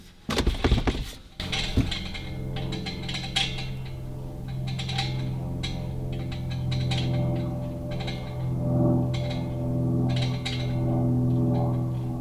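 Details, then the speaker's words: LPG gas bottle in a camper van, shaken by hand: light metallic pings and rattles each shake, something loose inside; cause not confirmed, owner thinks after reading online it's not serious. "Right, so if you couldn't hear that, that was actually like some pinging noise from the gas bottle."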